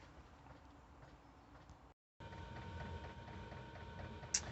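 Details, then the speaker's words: Van diesel heater mounted under the van, starting on setting one (about 0.1 L/h): faint, steady ticking about three per second over a quiet low hum during ignition, a normal lighting sequence before the fan ramps up. "we can just hear it ticking now and that's the diesel heater igniting"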